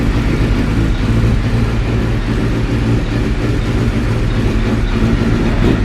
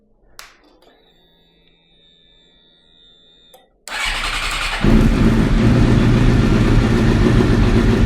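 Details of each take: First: Suzuki GSX-R K7 750 being restored, restarted. Idle drones with a lumpy, wavering low beat instead of an even tick-over; rough idle, owner suspects it is running out of petrol. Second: Suzuki GSX-R K7 750 track bike that stood a long time, first start attempt: catches on the starter and revs strongly and evenly with no knocks or misfires; idle afterwards unconvincing, owner suspects low petrol.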